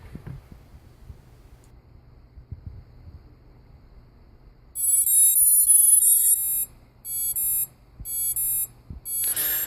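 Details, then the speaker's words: Hubsan H501S drone after a hard crash: near quiet, then loud high-pitched beeping in four bursts; one motor fails to start and turning it changes the beeping, indicating a damaged connection between that motor and the power board. "as I turn this motor in here you'll notice it makes the beeping noise change a little bit and that will tell ya that there's something wrong between that motor in the powder Ford"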